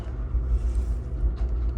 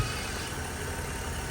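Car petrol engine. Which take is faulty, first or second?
first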